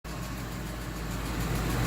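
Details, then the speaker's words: Ford F250 5.4 Triton V8 at idle, heard from inside the passenger-side fender (barely audible under the hood): fast, light ticking in time with idle; owner first suspected roller follower or lifter, found to be a loose spark plug leaking compression. "got a tick on the 5.4 Triton V8. I don't know if y'all can hear that. You can definitely hear it from inside the fender on the passenger side."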